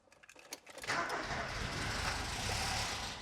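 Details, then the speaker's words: Ford Escort Cabrio XR3i after replacing a relay: a few starter whirrs, a rough brief catch, won't settle; owner suspects it runs only on the cold-start injector, not the fuel distribution system; runs on brake cleaner sprayed into the intake. "So what I think you're seeing here is that the car will only run for a second on the cold start injector, and not on the actual fuel distribution system."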